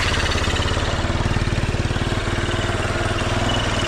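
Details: Motorcycle idling after repair of a missing power supply to its DC-powered CDI: small single thumps at a steady, quick three to four per second, even and unbroken. It is a normal idle.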